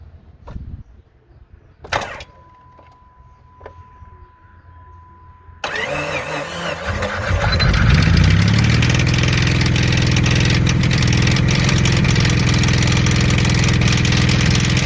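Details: Jeep petrol engine cranks, fires and settles into idle with a steady regular knock throughout; suspected rod knock, not confirmed.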